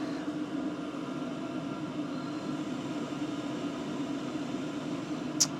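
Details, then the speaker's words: 2024 WIPPRO 8 kW diesel heater 51 minutes in at full blast, all six stages lit, drawing about 34–44 W. Quiet steady whoosh of air with a soft even fan hum and no ticking; running normally. "what you can't hear is any ticking just sounds like air coming out"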